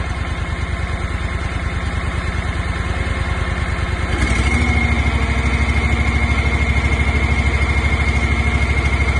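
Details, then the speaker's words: Engine on a 1.75-yard concrete mixing trailer, started on choke with cooling fan on, throttle eased up; even firing pulses rise in pace and loudness then hold smooth and strong; healthy engine. "And then you just give it up a little bit on the throttle, give it a little bit more power, ease into"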